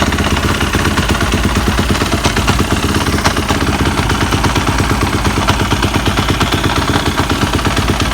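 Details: 2015 Yamaha YZF 250 single-cylinder at idle: a busy metallic clatter on every firing stroke, an engine knocking or rattling of unknown cause.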